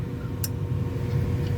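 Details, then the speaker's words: Trane/American Standard Voyager rooftop unit on a no-heat call: one sharp click, then only a low hum while the inducer motor never starts and the board flashes a red fault. Technician suspects a bad inducer motor, not yet confirmed. "if you hear the click that clicked nothing happened go back up here it flashes red no way in fault"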